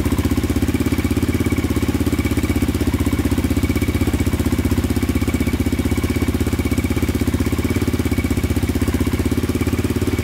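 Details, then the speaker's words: 2002 Yamaha Raptor 660 quad after timing chain and valve replacement, first start: fired instantly once a stronger charger was used, with a steady, even single-cylinder thump at about four pulses a second, no knocks, misses or rattles; healthy idle. "fired instantly with this one right here so that's good yeah i think we're i think we're golden now sounds like it's running pretty good"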